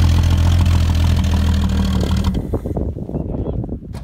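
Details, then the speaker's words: Ford XR Falcon ute, last registered 1982, paddock rescue with new battery: low uneven rumble firing about four times a second for two seconds, then stumbles and dies; runs briefly after long storage, short fuel line not reaching bottle. "the XR runs it didn't get overly far but it's a good start"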